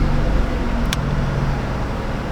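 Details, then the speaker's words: 2008 Pontiac G6 in for P0102 MAF code, engine held at raised rpm while oil pressure reading drops to zero and red oil light comes on: steady low drone, no clanging or knock; suspected faulty oil pressure sensor, engine has oil pressure. "So obviously the engine has oil pressure. And that's obvious for two reasons. A, we don't hear it going clang clang clang clang clang clang."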